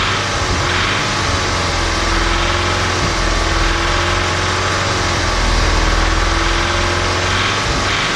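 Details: Audi S3 2.0 TFSI CDLA engine revving up and down: a rough, diesel-like knock or cam noise under the rising and falling note; smooth and quiet at idle and drives perfectly; cause undetermined.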